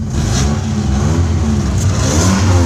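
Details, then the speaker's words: Mitsubishi 1.8-litre four-cylinder with 159,000 miles, no check engine light, idling: a low, uneven rumble with a faint puffing roughness from a small exhaust leak. "You can hear the exhaust leak, but the heat, AC works."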